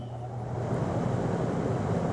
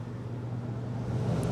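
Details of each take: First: AC compressor that failed to start, now running after initially not starting despite 75 A inrush: steady low hum, no surging or knocking, drawing a steady 7 A; running smoothly, capacitors still to be checked. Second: Air conditioner outdoor unit after replacing a blown disconnect fuse: only the fan whoosh and low hum, no compressor drone; compressor not starting, being checked for capacitor, wiring or compressor fault.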